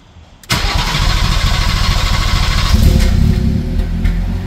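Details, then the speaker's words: First start of a B58-swapped BMW E24 on a new SCS Delta standalone ECU, untuned: catches and settles into an uneven, lumpy idle with rough surges; no throttle response and wrong air-fuel ratio. "We have no throttle response and uh definitely a wrong air fuel ratio. It's not running right."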